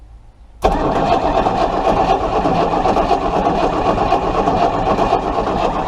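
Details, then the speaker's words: Chrysler 318 V8 cranked during a spark test, still no spark; starter spins it at an even four or so beats per second but it never fires: crank, no start. "Okay. Nope, no spark. Okay. Okay. Still no spark. Tried a different plug."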